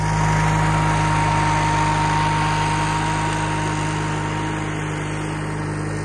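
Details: Case 1816C skid steer after sitting 10+ years in a barn, revived with a new starter and battery, roll cage refitted: steady, even engine note at constant speed, smooth regular beat, no knocks or misfires; runs and drives healthy.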